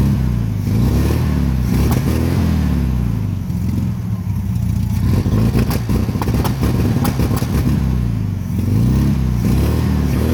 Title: 1972 1300 TP VW Beetle Misfire